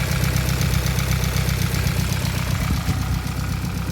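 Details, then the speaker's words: Hyundai Elantra stock engine with big turbo, first week on road: idle with a quick, even tick over the low rumble, about four per second; owner suspects cams running dry of oil and plans to open top cover. "Usually these engines, they click like that, they sound like that, but I'm kind of used to it, to the sound, so I already know that something is getting damaged or something is wrong."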